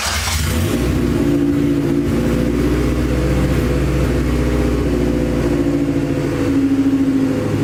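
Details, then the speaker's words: Acura Integra first start after crank, no-start trouble: catches after a brief crank and settles into a steady, smooth run with a few throttle blips, no misfire; run only briefly, no coolant in system. "now I ain't that it running I'm not gonna let it run for too long because um my Dash is right here and I don't have any coolant in the system so I'm going to overheat or anything"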